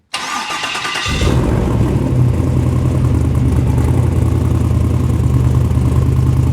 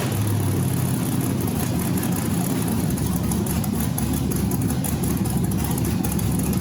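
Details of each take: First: LS V8 in a rock buggy build, start with owner's tune, transmission not yet filled: about a second of cranking, then catches cleanly and settles into steady, even idle, better than before; normal start and idle. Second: Rock buggy build LS engine, first start during initial buildup: steady low rumble with slight waver, developing a surge after the gas pedal is blipped; cause unknown. Idle surge.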